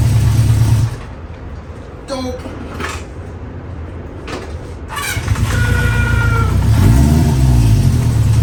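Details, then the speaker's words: The 350 motorcycle started with choke up and idle turned up, Seafoam added to fuel, outdoors on a windy day: low lumpy but steady idle about four beats a second, firming up once warm, no stumbles or misses; idling much better. "she's idling a lot better I put the seafoam in there"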